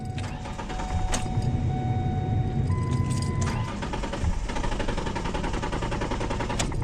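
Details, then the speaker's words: 2004 Ford Ranger XLT 4.0, 275,000 miles, no start that morning: key chimes, then the starter cranks the engine steadily but it never catches. Owner first wonders if it's out of fuel. "Is she out of fuel? Uh-oh. Huh. That's weird."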